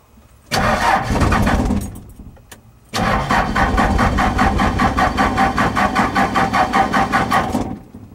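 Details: 4BT Cummins diesel, not started for a couple of days: short crank, pause, then long crank about two and a half beats a second that never catches; owner suspects dribbling injectors, unconfirmed.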